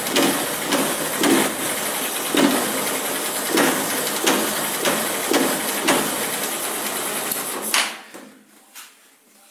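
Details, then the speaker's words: Verza 150 motorcycle with a noisy, rough sound: rough idle with uneven knocks about once a second over harsh clatter; mechanic suspects the clutch rubber dampers, possibly the hard clutch weights, before disassembly. Clutch rattle. "suara yang tidak wajar di kalau dari telinga saya sih Ada kemungkinan di kopling karet kopling tapi tidak muncul"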